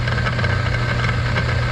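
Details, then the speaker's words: Laars Pennant commercial hydronic boiler overheating to 200°F, not moving water: circulator motor spins freely with a steady hum and gritty grinding rasp, suspected loose motor-to-pump coupling. "it's like grinding it's like grinding in there"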